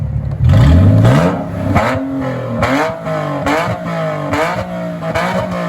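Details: Nissan 370Z drift car with custom tucked exhaust, custom Y-pipe and QTP electronic cutouts opened, engine and oil warmed up, revved higher in gear with clutch in: deep clean roar through sharp blips and steady high revs, no misfire or rattle; healthy open exhaust.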